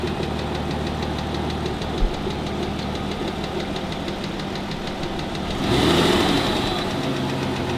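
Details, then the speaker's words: Aston Martin DB9 engine, warm, at idle: loud steady ticking about four a second, the worst stage of the known DB9 tick (absent at cold start), from small end bush wear on the connecting rod and/or piston slap in an oval-worn liner. "the tick is from small end bush where on the connecting rod and or piston slap because the liner is worn oval and the piston every top dead center is rattling in the bore"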